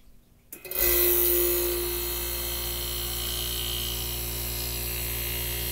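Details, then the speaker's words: 1965 Fedders Weather Wheel air conditioner, repainted Tecumseh AJM15-94 compressor, thermostat tested after cleaning, microphone near compressor: silence then clean steady hum, no knocking; normal compressor start and run. "music to the ears [Laughter] all right worked out like a charm guys"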